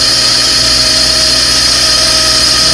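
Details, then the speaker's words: 2012 Subaru VX after spark plug and rocker cover seal service, idling: constant high-pitched hiss and whine from a noisy pulley, likely worn idler bearing; engine otherwise good, pulley to be replaced. "So far, see, I tell you, when you disconnect the battery and the cell, see that annoying, very noisy. See that pulley? Yeah, very noisy. That annoying."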